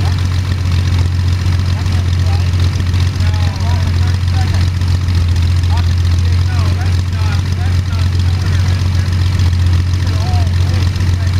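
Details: First start of Jabiru 3300 six-cylinder in plans-built Sonex with Rotec TBI, 50 hours on engine, mixture full rich, oil pressure 42, charging: steady even low idle drone, no knocks, misses or ticks; sounded really good, normal idle.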